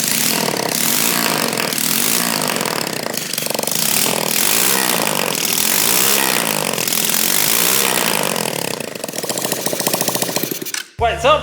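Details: New 125cc four-stroke motor in converted kids quad drift kart, first start with no exhaust fitted: loud raw bark rising and falling with throttle, crisp lift-off pops and flames; running clean and strong.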